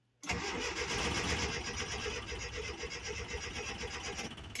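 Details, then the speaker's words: 1981 Datsun 720 in neutral with a new starter and positive battery cable, before both coils were replaced: brisk cranking at about four beats a second, slightly uneven. A touch lopey cranking; the gauge also reads no oil pressure. "It's a touch lopey, but I'm going to take that right now."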